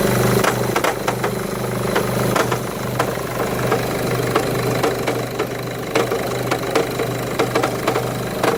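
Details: 2011 Mercedes E200 W212 heard from inside the car at idle: erratic tinny metallic rattle over a steady hum, loudest in Park or Neutral, mostly subsiding in gear, smoother near 1500 rpm, more audible under the bonnet; source unknown.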